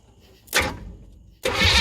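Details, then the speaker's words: 1976 Chevelle Laguna with a 305 V8 and side pipes, fired up with the oil pressure gauge not working. A short crank, a pause, then a loud, even run with no major knocking heard. Normal engine start. "well I reckon it does wrong louder so can't really hear anything else but as far as I could tell I didn't hear any major knocking or anything"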